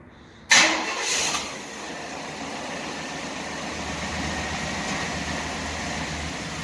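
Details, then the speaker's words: Chevy 350 V8 just tuned up with new spark plugs, distributor cap and rotor: the starter cranks briefly, the engine catches and settles into a steady, even low idle with no stumble or miss. Expected to idle smoother than before. "We got all the spark plugs back in. Now we're just gonna start it up. Should idle a lot smoother than it used to."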